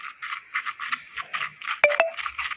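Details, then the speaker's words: Old strut top mount with integrated bearing, removed and turned by hand: rough, gritty scraping rasps in short bursts. The strut bearing is worn, stiff and loose, blamed for clunks on cobbled roads and able to make steering heavy; the shock itself is fine. "听到这个声音了吧？刷刷的，这个会有什么影响啊？它会方向盘沉，就是说你如果说感觉方向比以前沉了，这个也有可能会造成啊。"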